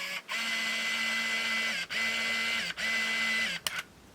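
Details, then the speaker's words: Olympus Infinity Stylus Epic Zoom 80 35mm film camera after reloading a scrap roll: three bursts of high, even motor whirring then a soft click, film advancing normally to frame 1. "That time it did it, because now we see picture number 1. So now we know that the film is properly feeding in through and just shoot off the rest of these."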